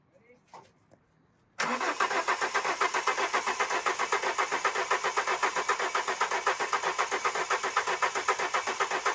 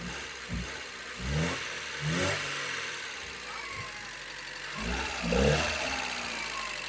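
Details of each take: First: Alfa Romeo 145 Cloverleaf after sitting 8 years, fresh fuel added to a 3/4 tank: starter cranks steadily at about four beats a second but never catches; fuel pump found not pumping, pump being removed. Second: Alfa Romeo 145 Cloverleaf revived after 8 years sitting: engine runs quietly and a few short throttle blips rise and fall cleanly; runs and revs normally, just needs oil circulating.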